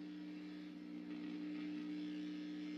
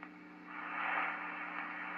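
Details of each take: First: Vintage Swan 350 transceiver with recapped power supply, lid off: steady low hum with second tone just above, even from switch-on until sharp cut-off; owner suspects rear wiring/Jones plug. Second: Swan 350 vintage transceiver with power supply, after all-new capacitors in both: soft even hiss with faint low hum, quieter than before after pulling out the Jones plug wiring at the back; deflected right away, receiver static reduced.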